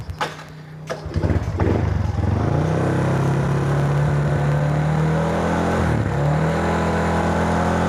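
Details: Honda Wave 125i after fuel pump fault (pump silent at key-on, no start) fixed by replacing pump part, pressure reading 28: cranks briefly, catches, settles into steady even idle with brief dip around six seconds; normal running.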